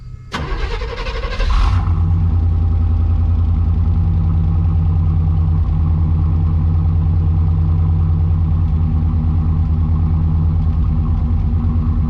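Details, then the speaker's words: 1991 Chevy Silverado C1500 V8 on a cold start, microphone at the rear by the factory duals-out-of-muffler exhaust: quick crank and catch, then a deep, steady rumble at idle with no knock or miss. The owner says it doesn't smoke or knock. "I mean, it don't smoke, it don't knock, it don't do anything."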